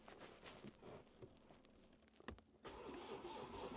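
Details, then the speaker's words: Land Rover Defender on its first start attempt after a DIY swap to a new engine, the original having snapped its crank and holed the block. Quiet until the terminal connection is forced by hand, then it turns over and catches. Loose battery terminal. "Oh! It turned over. Okay, so now I just know it's definitely that connection."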